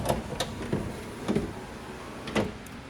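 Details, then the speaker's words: 2002 Mustang GT door, panel removed, window knocked off its track by a slammed door: irregular knocks and clunks as the glass rolls down. The power window is off track, with a loose piece striking and bending inside the door. "harsh it sounds like something's moving in there and this piece right here was hitting it real bad and bending it all over the place"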